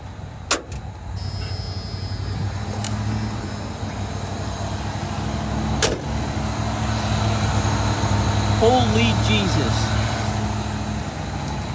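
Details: 1986 Ford F150 after new fuel tanks, sending units and cleaned tank switch reservoir, primed by fuel pump: couple of sharp clicks, then catches and settles into steady idle without stumbling, no fuel leak; normal start.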